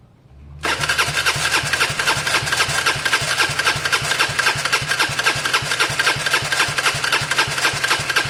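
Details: Gilera DNA 125 scooter after fitting a completely new coil and lead: starter churns with even compression beats about four a second but never fires; cranks, won't start.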